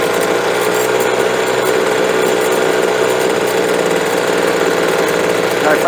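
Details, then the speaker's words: Two-stroke leaf blower at full throttle after new fuel and a carburetor adjustment: a loud, steady howl with slight unevenness, a stutter wide open; it may need a little more fuel (lean high-speed mixture suspected, not confirmed). ", puedes escuchar que tiene un poco de tartamudeo completamente abierto, así que tal vez necesite un poco más de combustible ."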